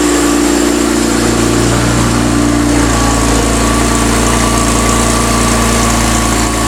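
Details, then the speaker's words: BMW E36 M3 Evo S50B32 on a test stand after tweaking the windage tray; at operating temperature, thermostat open, 40 psi oil pressure; smooth, even idle, earlier knock gone, only light top-end tick from valve clearances needing adjustment. "sounds much better okay so thermostat's opened she's up operating temperature 40 lb of oil pressure"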